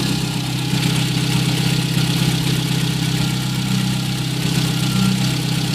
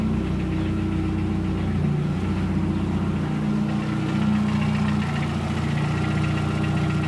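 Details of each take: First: VW Gol 1.0 8v, 20W50 mineral oil, idling about 5 minutes after start, not fully warm: smooth steady low idle, even beat, only normal morning tappet noise, no knock; irregular clack appears only when hot; normal idle. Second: VW Gol 1.0 8v, 120k on odometer, 20W50 mineral oil, warm idle after ~10 minutes: loose irregular clacking, three to four a second, gone with a throttle touch; owner suspects piston pin/skirt, possible past overheating; engine knock at idle.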